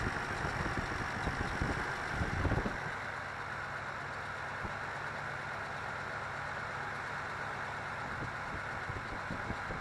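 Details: 1985 Toyota Celica Supra (MKII) with long cold cranks, very rough idle, smooth above 1000 rpm, hesitation and power loss; uneven, lumpy idle with low steady hum, smoother after a clunk; traced to blown head gasket.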